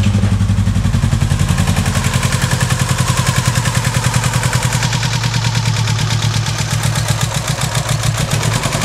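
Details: Subaru Impreza EJ18 four-cylinder at idle, intake manifold swapped from old engine: loud lumpy uneven chuffing, three to four pulses a second, not running on all four cylinders despite new leads, plugs and reseated connectors; cause unknown.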